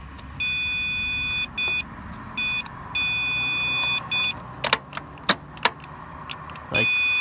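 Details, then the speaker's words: 1972 Pontiac LeMans, 350 Pontiac engine, sat since 2003, starter solenoid jumped with a power probe: steady test-tool beeps and a few sharp clicks but no cranking whir; starter not cranking, owner suspects bad starter. "one more time for fun i think maybe the starter just sucks"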